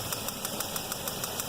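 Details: 2007 Chevy Equinox 3400 V6 pushrod, 100k miles, at idle: sharp even ticking about six per second sounding like a lifter; spark plug wire seen moving, wiggling it stopped the noise; loose plug wire arcing suspected.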